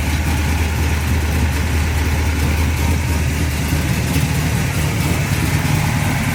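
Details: 1972 Chevrolet Chevelle, aluminum-headed 462 cubic-inch big block built last year, about 602 hp, rebuilt Turbo 350 with stall converter and shift kit: deep, lumpy big-block idle with a heavy low rumble and steady rhythm, no knocks; normal idle and revving.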